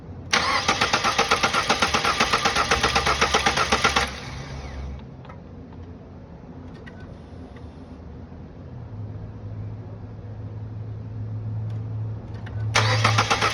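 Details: 2011 Ford Focus after timing belt replacement: the starter spins fast and even for about four seconds and the engine never fires. No crank position signal; the crank pulley is the CKP pickup.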